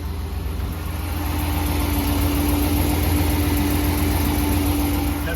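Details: 5.7 Hemi truck on Red Line 5W30 oil, about 600 miles since change, cold-weather start: smooth low even V8 idle rumble with no knocking or piston slap.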